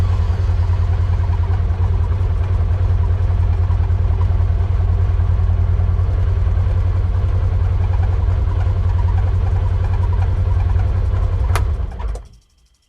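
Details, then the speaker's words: 2016 Polaris Ranger 900 XP with crank-no-start issue after throttle body cleaning, new spark plugs and fresh fuel; steady, even low rumble with no misses or knocks until shut off. Normal running. "Okay, I liked that. That was pretty good. Just make sure that wasn't just an accident."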